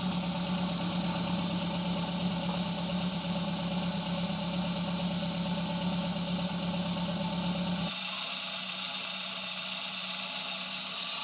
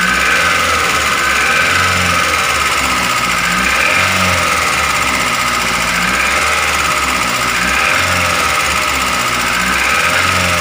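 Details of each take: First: Daihatsu Gran Max engine reinstalled after fixing excessive valve clearance: smooth even idle, steady hum, no ticking or clatter; rough sound gone. Normal idle. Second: Daihatsu Gran Max engine, running before teardown: harsh rattly running with rapid ticking over the engine beat; piston, bearing or valves suspected.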